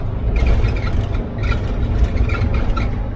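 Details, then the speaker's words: 1967 VW Type 3 Squareback, lowered front suspension with bump stops removed: sharp high squeaks with each bounce over dull thumps while driving over bumps, passenger-side front, lower arm riding metal-on-metal against the bump stop arm. "Anytime I hit a bump, it'll pretty much bounce and you'll hear a squeak."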